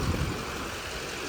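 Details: Silverado Duramax 6.6 diesel 4x4 after Hurricane Helene salt-water storm surge, idling during a leak check: low steady rumble, even idle beat, no knocks or misses. Normal idle.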